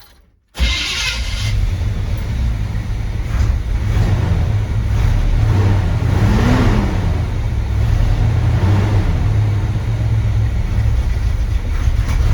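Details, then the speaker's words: 1970 C20 truck V8, restarted with timing sounding right, low fuel, warming up and steaming: catches cleanly and holds a deep steady rumble with smooth blips; runs evenly and sounds healthy. "hey it's idling and it's steaming"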